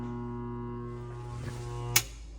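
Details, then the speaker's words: Rusted garbage disposal in a 2008 Oriole, run after pressing the reset button: steady low electrical hum with no spin-up, then a click as it trips again. Disposal is jammed or clogged. "Yeah, it just popped again. So your garbage disposal is clogged, and depending on how rusted out it is or what's in there, I don't know if you can tell, but it's, yeah, you can't tell."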